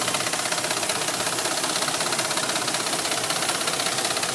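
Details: Dodge Ram 1500 gas engine at idle: sharp, even ticking at about three beats a second over a steady idle. Valvetrain-type tick; cause not yet pinned down.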